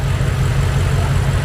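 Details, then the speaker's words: BMW X6M V8, forged build rated 1200 hp capable, M5/M6 intercooler swap, first start-up, meth not yet hooked up, untuned: deep, even idle with a steady low burble and no misses or knocks; normal idle. "Idling smooth. You see we had to modify the engine cover. But everything running good."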